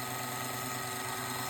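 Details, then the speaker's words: MARBLTRAK marble booster with a 550 motor, gear mesh tuned to the happy medium: a steady, even motor whir with soft gear hum and no grinding, not super quiet but quiet. Normal, correctly set mesh. "and that's what we [Applause] [Music] [Music] want and that's what it should sound like it's not super quiet but it's not super loud"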